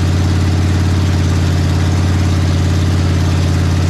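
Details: Big block Ford 460 V8 in a 1956 F-100, running for cam break-in; deep, even lope and steady rumble, no knocks or misses; normal running.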